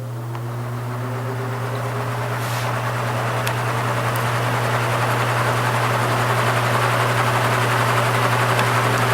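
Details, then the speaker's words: Repaired spare plastic Marco motor with blade from vintage Lasko/Galaxy box fan on low speed (red wire): steady low electrical hum with soft whoosh as the blade spins up, no rattles or scraping; the usual hum of these plastic motors; about 1 A, 80-82 W; normal. "It's got that nice motor hum that these plastic motors usually have."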